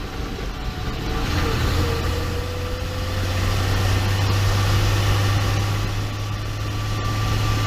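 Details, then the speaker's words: 2012 RAM 2500 6.7 diesel at 110,000 miles after swapping the noisy G56 manual for a rebuilt unit, driving: steady diesel drone with no whine or growl; noticeably quieter than before, normal transmission operation. "I will say it's definitely quieter it was the one that I pulled out you could hear you can hear inside of the Walmart it's just it was louder so it's definitely quieter now"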